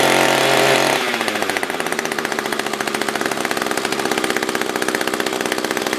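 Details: SRM-210 trimmer after repair (new carb, fuel filter, plug, fresh gas, handle), tank refilled: brief high rev, then steady, even idle popping regularly; normal idle.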